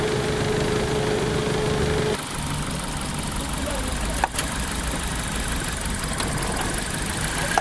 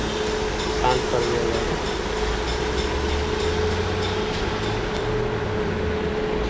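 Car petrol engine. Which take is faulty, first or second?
first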